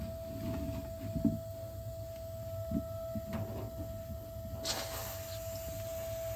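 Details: Gas water heater just over a year old: a steady, fairly high whine over the burner rumble occurs only while the burner fires and stops instantly when it shuts off; relieving water pressure doesn't change it.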